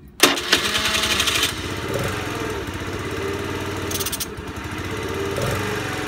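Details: Honda Today moped: engine catches and buzzes unevenly, revs flare and sag without climbing cleanly; carbon buildup suspected, engine conditioner being tried. Poor revving.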